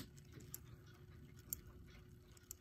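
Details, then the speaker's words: Late-1920s Hammond Bichronous clock on mains power: low steady mechanical hum under sharp ticks about once a second, gear train noise, quieter on spring power; gears to be cleaned and lubricated. "is a bit of noise to it in any event my plan next is I'm gonna open up the back plates get these gears out give everything a good cleaning and lubricating put it back together and see what that does for it"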